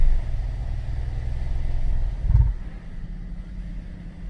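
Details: 2013 Cadillac SRX at 114,000 km, on a lift with the rear wheels spinning: deep, uneven thumping under the middle of the vehicle from a broken rear driveshaft center support (hanger) bearing and its rubber mount; fixed by replacing the whole driveshaft.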